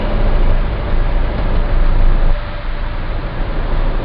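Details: Citroen C4 Grand Picasso cruising around 1700 rpm at light throttle: deep steady 28 Hz droning boom, once per crank revolution, dropping away with small load changes; dealer calls it normal, owner disagrees; cause unknown.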